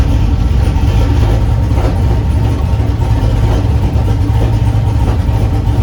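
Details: Chevrolet S10 V8 with a deep, steady idle rumble, even beat and no misses, knocks or surging. It started rough, possibly because an earlier idle-screw adjustment upset the IAC and idle; once readjusted, it runs smoothly.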